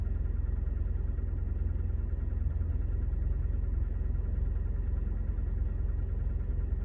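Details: 2011 Scion tC with 65,000 miles running with a deep, regular thumping knock about three to four beats a second over a low engine rumble; source unknown.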